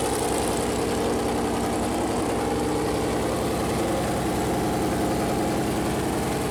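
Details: Freshly built Chevy Performance 454 big-block V8 on a run-in stand, first fire-up: steady idle with an even lumpy pulse and no knocks or ticks. Normal idle; afterward the plastic oil-gauge line hit the warm headers and leaked oil.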